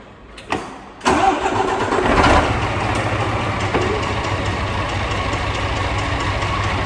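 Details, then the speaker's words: DAF CF85 truck diesel, also overheating (thermostat suspected): it cranks, catches and idles with a hard, rapid knock that sounds top end. A screwdriver to the ear picks up a louder high-pitched noise at the near-side top; there is also a blow. Cause unconfirmed. "But we have a terrible engine knocking noise. Sounds top end."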